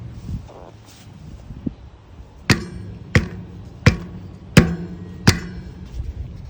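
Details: RockShox Pike fork on a 2020 Canyon Spectral AL: five sharp single pops, roughly one every 0.7 seconds, each with a quick ring-out; source unconfirmed, and a riding companion suggested checking the frame.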